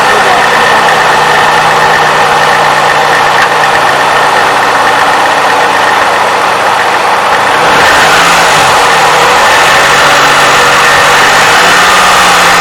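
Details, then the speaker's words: Toyota 3.5L V6, 170,000 miles, cold start before adding graphene oil additive: quick uneven clacking about four per second from valve timing advance (VVT actuator), rising with throttle blip, over some belt noise. "yeah a little bit of clacking noise coming right from here but you can hear it hopefully you can hear it"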